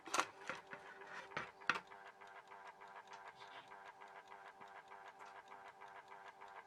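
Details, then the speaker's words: Horstmann VA Mk9 SRS2 rate changer time switch, 240 V 50 Hz synchronous motor, just plugged in with spring reserve unwound: steady mechanical whirr with soft irregular ticking as the escapement runs; normal, holding solenoid not yet engaged. "Now then, in amongst all that whirring sound, you can hear a bit of a ticking going on. Okay, that is because the spring reserve in it was unwound when I plugged it in."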